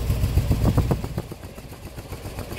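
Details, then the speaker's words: 1997 work truck with no fault codes and a strong fuel smell: uneven, lumpy idle with pulses stumbling and dropping out; dead cylinder, as the number two injector pulses but delivers no fuel, so a new injector is needed. "so I'm going to get it started up so you can hear it it's not terrible from here oh there's he's here cut out so"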